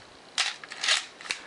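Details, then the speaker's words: Canon AE-1 Program with 50mm FD f/1.8: crisp shutter snaps, quick ratcheting film wind and final click; shutter and film advance cycle cleanly with no drag. "Film advance works fine."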